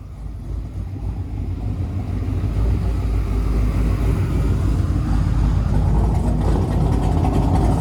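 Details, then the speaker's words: Doug Rippie Motorsports LT1 383 stroker on an engine dyno (1995 Corvette origin, 4.040" bore, flat-top Mahle pistons, original CNC heads and cam, EFI): a deep V8 idle with a gentle lope. A nice but not big lope from a mild cam. "well that's a nice lope but it's not a big lope"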